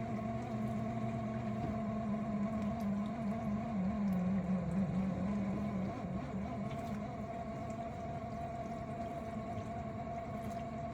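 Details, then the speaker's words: Miele G6625 dishwasher bought April 2018 (about 7.5 years old), filled with water; a steady drone with a rough growl from the circulation pump at the bottom. Filter and non-return valve were clear, and it drains and fills fine; debris or bearings are suspected. "It definitely does sound like it's coming from the bottom. bottom of the unit where the motor is."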